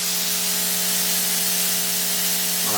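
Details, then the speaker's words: Ya Xun 902+ hot air rework station on setting 8 at 450 degrees with a fine nozzle, tip held away: strong steady airy hiss with faint constant hum; normal airflow noise, same as another identical unit. "esse é o barulho da conselheira estou afastando a ponteira pra você ouvir só o barulho da estação"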